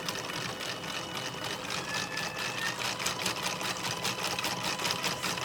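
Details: Stepper motor added with a Raspberry Pi to spin a 3D-printed helical cage gear cup (PETG/polycarbonate) at full speed: high-pitched buzzing whir with rapid ratchety chatter from stepper and printed gears; loud, owner hopes more microsteps will quiet it.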